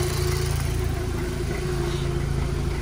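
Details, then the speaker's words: VW Golf Mk5 GTI, neglected car just bought, no engine light: steady low idle with uneven lumpy pulse about four per second and faint rattle; rough running, owner suspects a misfire. "i'll show you guys what it sounds like it sounds pretty rattly so it looks like it's misfiring or something's not really right here"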